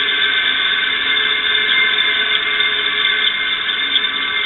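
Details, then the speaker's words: Electric motor, probably from an exhaust fan, run after oiling through its oil ports: a steady high-pitched squeal over a gritty grind remains, especially after unplugging; worn or dry bearings. "it's still making a little bit of a squeak noise it's still got a little bit of grinding noise especially after I unplugged it"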